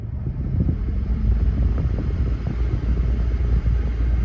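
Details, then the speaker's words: 2002 GMC Yukon, loudest on the passenger side: loud, deep uneven roar from the dash blower fan with no clear tone; blower wheel clogged with rodent debris, cabin air filters apparently never replaced. "the car on there and you can hear the you can slightly hear it it's pretty loud over here on the passenger side the blower motor is actually down there"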